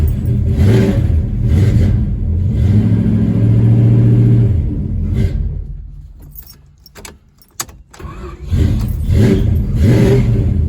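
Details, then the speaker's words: Chrysler 273 V8 in a 1972 Dodge Dart Swinger, started every few months while stored: fires up, steady even burble and clean revs, smooth with no knocking or ticking; normal running. "Yeah, but you can hear it. It's smooth. No knocking or ticking sounds at all."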